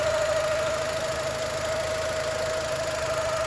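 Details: 2002 Mini Cooper R50 idling with the clutch pedal pressed. A steady mid-pitched whine sits over a faint engine rumble. Gears, especially first, are very hard to engage with the engine running: clutch noise, cause not yet known.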